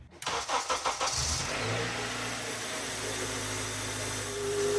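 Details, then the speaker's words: 2004 Honda Accord, over 350,000 miles, new power steering pump just installed, not pre-filled: engine cranks, rough idle with faint thin pump whine from trapped air; quieted to normal after turning wheel lock to lock repeatedly. "It sounded pretty rough at first, but once I turned the wheel back and forth a couple times, it eventually quieted down and then it finally sounded normal again."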